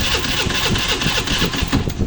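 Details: Pulse 150i motorcycle: starter spins the engine in quick, light pulses but it never fires; fuel, injector, sensors and spark checked OK, and a compression test shows low compression as the cause.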